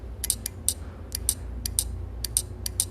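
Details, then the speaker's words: AC PCB relay bench-tested with a 12 V charger touched to its coil: sharp dry clicks in irregular pairs as it pulls in and releases cleanly; the relay is good. "क्योंकि ये output supply दे रहा हूँ चट चट करके आवाज़ आ रहा है। देखिए इस तरह से। ये रिले हमारा सही है।"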